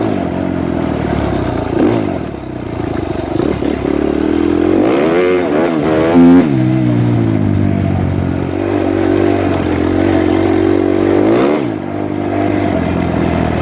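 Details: Suzuki RMZ 250 previously wouldn't start; after re-timing the cams, the four-stroke single pulls cleanly through blips and settles to an even idle, no knock or misfire; normal running.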